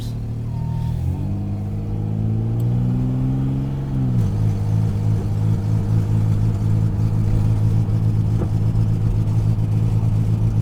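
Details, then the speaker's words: 1997 Dodge Avenger 2.5L V6, 160,000 miles, driving: under hard throttle revs climb then bog around 2,000 rpm with rough stuttering drone, also bogging on shifts; plugs, wires, cap, rotor, fuel filter replaced; idle-speed code; cause unknown. "it only seems to happen when you really hit the throttle hard and then even when you shift the vehicle it'll still it'll still bog down when the vehicle shifts"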